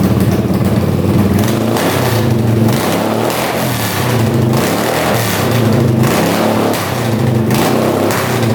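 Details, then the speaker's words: 1981 Honda CX500 café bike revived after years in a basement, running on choke without an airbox or pod filters: revs climb and fall unevenly with a hollow, ragged, popping note. Rough running; the accelerator pump diaphragm appears worn and not working. "it's definitely running better with the choke on I think it needs that airbox sounds really [Music] weird"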